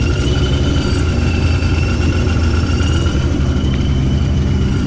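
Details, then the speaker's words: 2015 Mustang GT with ProCharger supercharger after pulley upgrade, 681 hp to the tire, with cam-style tune; steady high singing blower whine over deep even engine rumble, normal healthy supercharger whine. "yes 550 she's all wrapped up you hear that ProCharger singing"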